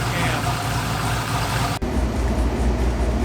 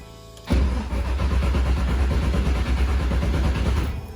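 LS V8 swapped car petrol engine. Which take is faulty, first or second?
second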